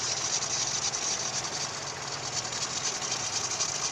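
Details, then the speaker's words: Daewoo Lanos at idle, before belt conditioner is applied: high, raspy chirp pulsing about twice a second from the slipping alternator belt. "Ребят, сейчас будем пробовать кондиционер для ремней. Слышно сейчас, какой звук идет, да, от ремня?"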